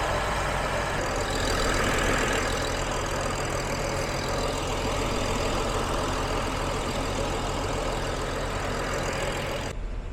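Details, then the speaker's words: BMW X5 E70 gasoline N55, after DME replacement fixing intermittent stalling and delayed starts; no fault codes afterwards. Steady low idle rumble without stumbles, misses or dips before shutoff: normal idle. "시동 잘 벌리고요 중요한 건 걸리는게 문제가 아니라 시동이 꺼지는 문제를 해결하는 부분이기 때문에 [박수] 시동을 좀 걸어 놓고 지켜보도록 하겠습니다"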